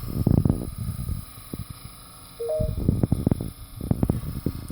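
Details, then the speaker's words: 2002 VHS tape of Ice Age playing in a VCR: irregular bursts of clicks and clunks with a brief chirp between them during playback; something in the transport is catching. "does make weird noises"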